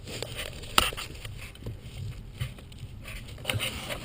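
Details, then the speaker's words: Holden/Opel Vectra 2.6 V6 steering column: shaft pushed and pulled by hand gives sharp scraping clunks in bursts as the sliding tube section binds then lets go, felt as a clunk when turning, braking or accelerating; fix is silicone spray down the shaft. "This little tube, as I do that, you'll see it's just pulling in and out a little bit, and you can hear that noise."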